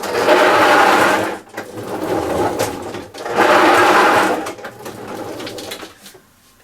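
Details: Hyundai lawn mower in for service: harsh rasping grate in bursts each time it is pushed forward, from a dry rear-wheel freewheel clutch; the fix is lubricating the freewheel system, and stripping and cleaning it if seized.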